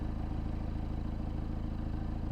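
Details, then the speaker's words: Peugeot 308 GTi THP turbo engine after a PCV diaphragm oil-leak fix, idle check after the cold start. Smooth, even low idle with steady pulses, no ticks, misses or hunting; normal idle. "Yeah, it sounds all right. We'll probably take it for a test drive just to double check things over."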